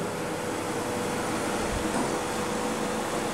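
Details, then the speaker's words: Homemade refrigerant recovery unit mid-recovery from an air conditioner: steady, even hum and hiss with no knocking, rattling or surging. The recovery compressor runs smoothly under load. "Eso ayuda a que la presión se mantenga un poco más alta. Bueno, ahí estamos recuperando."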